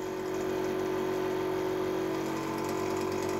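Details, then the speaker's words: Air compressor after blown head gasket replaced with a homemade gasket: smooth, constant mid-pitched hum with no leak hiss or knocking as it pumps up to pressure and shuts off normally. "see if it turns itself off after it gets up to pressure i'm going to call that a success because it would basically just keep running essentially gets gets um"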